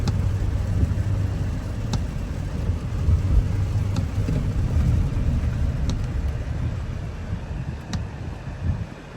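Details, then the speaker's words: Audi Q7 supercharged V6, running after cylinder 6 misfire repair: steady low rumble with no stumble or vibration, normal smooth running. "it's already start no vibration everything is good"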